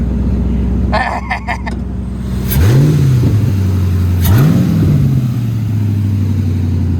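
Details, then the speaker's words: Grand Marquis 5-speed manual, 92,600 miles, first start after about 1.5 years: steady idle, two quick blips rising and settling smoothly, no knocks or misses, no dash lights; sounds healthy. "Sound good. Sounds healthy."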